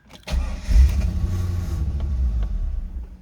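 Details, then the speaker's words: 2000 Chevrolet Corvette C5, long-parked barn find, first start attempt: catches with a loud burst, runs roughly a couple of seconds then dies; low fuel pressure suspected, not confirmed. "i'm not quite sure but it's running for a second and then it's kind of cutting off so let's let's do that"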